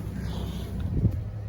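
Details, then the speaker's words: Ford Falcon after exhaust repair: smooth even low rumble with some wind noise, no puffing or ticking from a leak; exhaust now sealed, previous bad sound gone, ABS light also cleared. "I'm happy to report a b slide is gone and it no longer sounds so [ __ ] the exhaust is finally fixed that's good"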